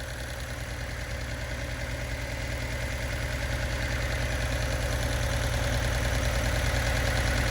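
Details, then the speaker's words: Abandoned turbo Datsun 280Z, first run after rewiring: steady idle with a fast, even light tick, about three a second, over the low engine hum. Ticking at idle, possibly injectors (uncertain); the engine also runs hot. "I think I am hearing the injectors, but you guys are going to have to let me know."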